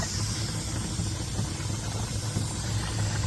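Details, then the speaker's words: Mazda RX7 FC rotary after half an hour of running, up to temperature and smoking, with water coming out: steady idle with a hiss and bubbling from coolant boiling and steam near the turbo; owner suspects the thermostat is not opening. "definitely boiling in there I can see it bubbling away like a little cattle going"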